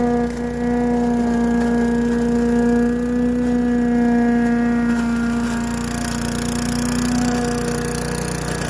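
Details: Craftsman Eager 1 4hp chipper vac (987.799790) vacuuming long wet grass with bag fitted: single-cylinder steady even hum, clear fixed tone, no misses or knocks. Normal running.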